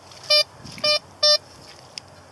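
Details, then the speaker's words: Blisstool V3 metal detector with discriminator toggle on 1: three short identical beeps half a second apart, clipped and shorter, poor pinpoint response on the target. "it doesn't pinpoint as well."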